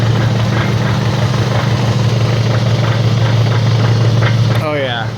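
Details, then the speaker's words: AWD car on a lift, wheels spinning in gear around 20–30 mph, heard through a long screwdriver against the skull: steady low whirring hum from a bad wheel bearing, also heard as humming while driving. "one it's definitely bad it's making a whirring sound maybe I can aside that's quiet this is a bad wheel bearing right here"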